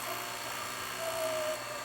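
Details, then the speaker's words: Sony VO9800 U-matic SP 3/4-inch broadcast VTR playing an old tape likely with sticky shed syndrome; thin howl over mechanism hiss as tape sticks to video heads, heads clogging, machine slowing; tape sticking to video heads. "I can hear the tape sticking. Can you hear it? It's sticking to the heads. You hear the howling junk tape."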